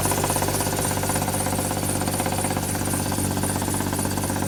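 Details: Used Hyundai at idle after adding Lucas oil stabilizer: regular light knock near three per second stays the same.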